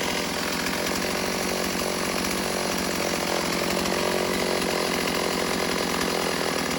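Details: Stihl AV 028 Wood Boss chainsaw cutting wood after the fuel line and filter repair, with the old air filter left off: a strong, steady high buzz under load with no bogging or hesitation, running right.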